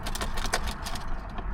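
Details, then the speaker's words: Chevrolet Blazer two-door with Vortec engine, fuel tank below empty, key turned: quick light clicks in short bursts with no starter whirr or cranking. The relay is chattering but the starter isn't turning, so no crank. Owner suspects a bad connection. "No. I don't hear a starter at all. I hear the relay."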